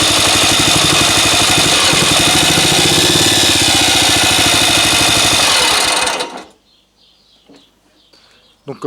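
Fast, steady single-cylinder beat with a bright buzzy exhaust, even for six seconds before shutdown; running cleanly on restored fuel.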